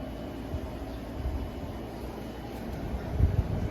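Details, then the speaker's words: 2000s Holmes box fan HABF-25 on high speed, in basement: low steady droning hum with buzzing shudder swelling toward the end; fan vibrates heavily. "medium here is high see i think you guys hear it this fan vibrates so much"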